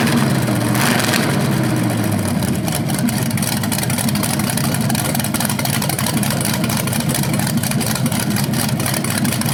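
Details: BluePrint 396 big-block crate engine for a 1970 Camaro SS, first run with headers and flywheel: even rumble climbing smoothly on throttle, back to steady idle, no knocks or misses; healthy, though a slightly different rev sound is noticed, unsure if headers or flywheel.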